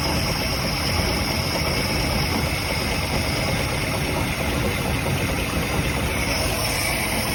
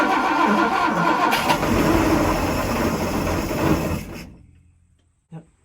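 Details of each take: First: 1967 Chris Craft Roamer yacht with a Ford 427 V8 that was previously locked up, idle after sitting 11 years, run on more fuel: steady even rumble with no misses; it idles fine. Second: 1967 Chris Craft Roamer yacht with Ford 427 V8s that had sat about 11 years, running on gas poured into the carburetor with the choke held: catches and runs roughly about four seconds, then dies when the fuel runs out.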